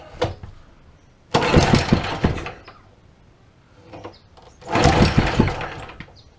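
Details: Old Honda small engine that sat for years, throttle linkage just reconnected: two pull-starts each catching into short bursts of even firing before fading; starts and runs.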